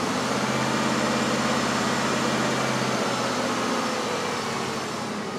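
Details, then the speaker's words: 1992 Cadillac DeVille 4.9 that runs rough even after its TPS was replaced: lumpy idle with an uneven stumble about three times a second; a dead miss on one cylinder, traced to a shorted injector drawing 11 amps. "it's running pretty bad it's actually got a dead miss on one cylinder"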